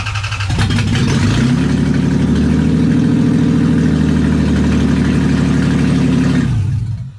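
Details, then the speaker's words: 1991 Toyota MR2 with swapped 3.0L 1MZ V6 from Camry, ECU connected, started after faulty ignition switch found: engine fires, picks up and runs smoothly several seconds with even steady drone before shutting off; normal running. "what an absolute weapon runs it runs full time"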